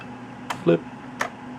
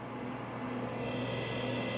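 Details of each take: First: Bondwell B310 286 laptop after 10–15 years on a shelf: two sharp isolated clicks as the hard drive fails to spin up, suspected insufficient power rather than a faulty drive; apparently a power supply problem. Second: Bondwell B310 286 laptop powered by straight 9 V supply drawing about 1.3–1.8 A: steady hum with faint constant high whine from drive and fan, running normally; old power supply was not providing enough power.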